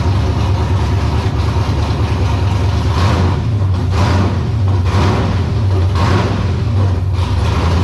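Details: E82 pro drift build on its first start, warming up: a deep, steady engine note with light throttle blips, settling back evenly without stumbling. Adding an extra foot to the exhaust pipe fixed the earlier problems; it runs smooth and stable.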